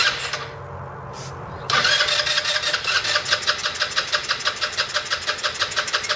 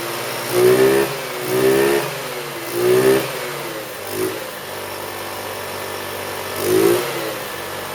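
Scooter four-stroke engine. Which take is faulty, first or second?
first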